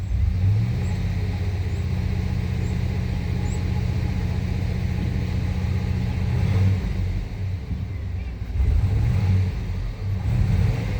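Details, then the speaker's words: 1997 Suburban after installing a used mass airflow sensor, oil pressure 60, coolant 151°F: deep rumble that stumbles as revs rise instead of pulling clean; owner suspects fouled plugs despite new cam sensor, cap and rotor; unconfirmed. "Got a stumble, man. It could be bad plugs, man."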